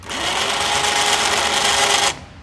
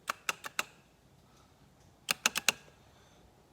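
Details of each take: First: Badlands winch newly installed on a 2009 Kawasaki Teryx, run by handheld remote: steady, even electric whine for about two seconds, then cuts off cleanly; normal winch motor run. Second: 2009 Kawasaki Teryx winch installation: sharp relay clicks in bursts of about four with no motor hum, since the winch itself is bad; the selector switch was also faulty, and a new winch is being installed.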